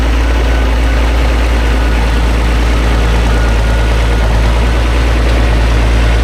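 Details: Vintage TD9 bulldozer diesel after shimming the starter to fix a spinning, non-engaging starter: steady deep rumble at an even idle with no knocks or misses, healthy settled idle.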